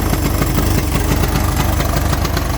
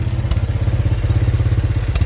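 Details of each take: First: 1983 Honda 200E three-wheeler after carburetor removed twice and adjusted: lumpy uneven single-cylinder idle with irregular thumps and stumbles; still runs rough from a carburetor fault. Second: 1983 Honda 200E three-wheeler at idle just after fitting a new carburetor; even steady single-cylinder putter about eleven pulses a second, no misses or knocks, clean healthy idle though it still smokes.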